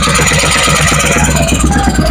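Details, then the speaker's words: Honda Vario 110 carburetted scooter after engine rebuild, racing exhaust making it loud: steady, even single-cylinder idle and throttle blips, raspy exhaust but no knocks or rattles; mechanic calls it smooth, normal running. "Kita akan tarik gas ya. Oke, kita tarik gas ya. Oke, itu lembut-lembut ya suaranya ya."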